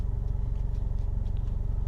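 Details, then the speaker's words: Engine after replacing fake cheap eBay injectors with proper GB remanufactured fuel injectors: even quick idle pulse at 800 rpm, no misses; it shook before and now has no shake and is much quieter, cause confirmed as the injectors. "So before this was shaking, and now there's nothing. And it's idling at 800."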